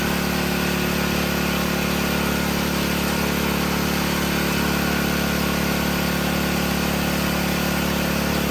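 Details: Briggs & Stratton 5HP generator engine after adjustment and restart, previously would not start: smooth, even beat of about four per second with no hunting or surging; normal running.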